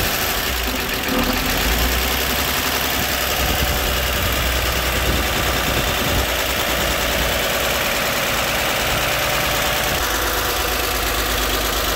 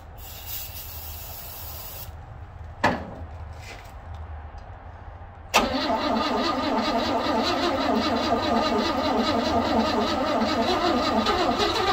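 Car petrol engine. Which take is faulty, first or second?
second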